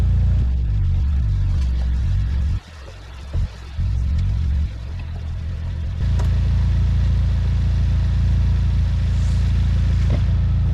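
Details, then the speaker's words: Vauxhall Corsa VXR at its first start after the engine bay was reassembled, following a flat battery. The idle is slightly lumpy, then settles to a steady, deep idle with no hiss or whistle, so no apparent boost leaks; not yet road tested. "running sounds like she's uh doing okay doesn't sound like there's any uh boost leaks at the moment"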